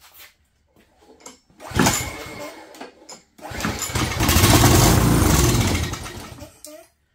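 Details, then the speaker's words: Craftsman 22" walk-behind string trimmer, Craftsman flathead engine: on starting fluid a short pop and few seconds of ragged running, then dies; fuel starvation, replacement carburetor ordered. "it's going to run on starting fluid that's what's going to happen see what happens now yep the carburetor opening the choke while I spray that in"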